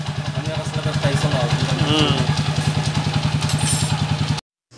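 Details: Motorcycle (TMX155 tag) after transmission set replacement for rough first and third gear: even, steady low thump about three and a half beats per second, no knocks or rattles; normal idle after repair.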